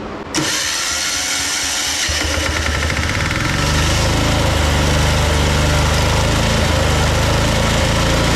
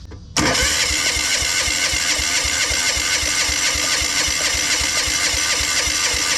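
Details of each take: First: Old military Yanmar diesel portable air compressor after a fuel-system overhaul to clear tar and new exhaust nuts: it catches after a short crank and settles into a steady, even chug with a building compressor hum as it makes air. It is running healthy. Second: Old military Yanmar diesel portable air compressor, fuel hooked up to test injection pump (part 4C10) after fuel system work: fast even cranking about four beats a second that never fires; injection pump not delivering fuel, to be disassembled.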